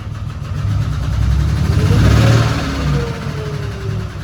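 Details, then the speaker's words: 2008 Dodge Ram 3500 6.7 Cummins diesel, first start, moving slowly under light load: uneven rough knocking clatter over the low rumble; runs but sounds unhealthy, no oil pressure reading seen, cause of noise unknown. "What is that noise? It doesn't sound very good, but it does run."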